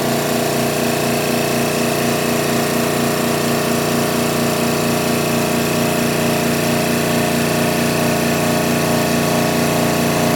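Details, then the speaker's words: Air Techniques M5B portable dental dry air compressor with dehydrator, 115 V, always-on cooling fan: steady even motor drone, quick regular pulse about two beats a second, no knocks or squeal; pumps to 80 psi, then vents through dryer to 60 psi, normal. "And as you can see, after it hits 80, it's venting back through the air dryer to regenerate"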